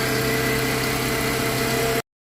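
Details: 2001 Mitsubishi Galant 4G94 after engine swap, previously crank no start from wrong cam sensor signal: steady, even idle with smooth low hum, no misfire or knocking; engine now runs.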